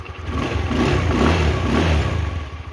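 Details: Motorcycle after sensor reassembly and reset, fixing stumbling, cutting out and hard starting; engine picks up cleanly, revs smoothly without misfire then settles; normal revving.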